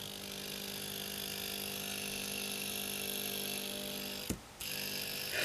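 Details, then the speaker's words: A 50 Hz mains hum is picked up from the body when the base of the first transistor is touched in a one- or two-transistor Darlington relay driver circuit. The relay buzzes with a steady, gritty hum instead of switching cleanly, briefly cuts out, then returns. "when i touch here for instance that for the base of the first transistor you can hear the transistor hum because in my living room there's of course always 50 hertz 50 hertz is on my body"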